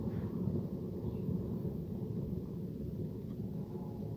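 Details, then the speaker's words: Trailer drum-brake rebuild, new hub fitted, nut slightly loose between castellations: the hand-spun hub gives a dull, gritty low rumble that drones on; the wheel bearings are worn and need replacing, first mistaken for drum scuffing. "Have a listen to that again. I don't know, I'm not an expert, but I don't like the sound of that. So get some new wheel bearings for that."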